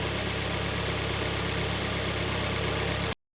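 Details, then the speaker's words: Kia Sportage G4KD, 113k mileage, heard from outside after a repair for a heavy piston knock (block sleeved, oil jets fitted): steady, even idle with no knocks or ticks; the engine runs smooth and quiet. "давайте послушаем снаружи закончим работает ровно работает Тихо"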